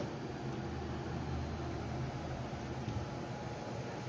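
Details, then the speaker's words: New Silvercrest PD-8871 portable air conditioner, 7000 BTU, R290, about 785 W, running at around 78 W before reaching cooling mode: quiet steady low hum with soft airy hiss, no rattle or knock; not silent, no adjustment; normal compressor running. "Din păcate nu este silențios nu are nici un fel de altii de reglaj"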